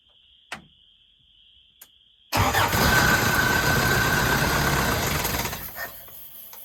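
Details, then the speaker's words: 1981 Toyota 4x4 pickup: quiet ticks, then it catches on starter fluid and runs roughly about three seconds before dying; fires only briefly, fuel pump possibly not working. "Holy cow, she started. All right, let's feed her some more. All right. Okay. Starter fluid might not be good enough."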